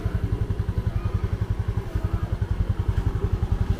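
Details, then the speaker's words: Yamaha Jupiter FI 2020 after engine seized from running out of oil and was rebuilt: low even thumping idle, quiet and smooth with no knocking; engine back to normal. "em bây giờ các bạn sát lại thì nghe tiếng máy như các bạn nhắc đó máy lại Trở về như cũ là chỉ thầm các bạn ạ"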